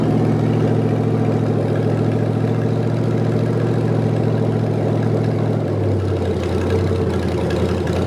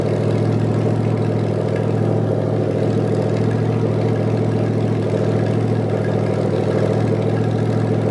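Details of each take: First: Rebuilt '73 Canadian truck 350 Chevy V8 (new piston and rod, big cam, fuelie heads), no fan, warming up: deep lumpy uneven idle shifting in pitch partway; rough idle from ignition timing way off, distributor being twisted. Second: Rebuilt '73 Canadian truck 350 Chevy V8 with replaced piston and rod, big cam and fuelie heads, on first run-in with no radiator fan, warming to adjust valves: lumpy loping idle, steady deep rumble, even rhythm, no knock or tick; healthy.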